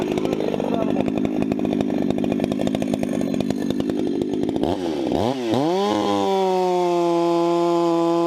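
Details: Vintage 266 chainsaw, recently started after sitting a while, bucking firewood: strong steady buzz under load through the cut, then a clean rev release and smooth settled running; healthy, normal cutting.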